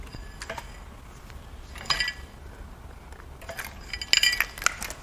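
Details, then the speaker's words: BMW N63 4.4L twin-turbo hot-V V8 salvage core turned by hand with no plugs or injectors: irregular metallic clinks and rattles in scattered bursts from one bank; possibly broken plastic from the oil fill, unconfirmed. "I'm hearing some pretty bad sounds from the driver or passenger side here but it could be some plastic broken off from the oil fill in there we'll find out when we get the valve covers off"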